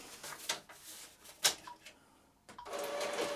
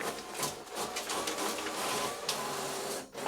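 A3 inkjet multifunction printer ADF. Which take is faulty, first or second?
second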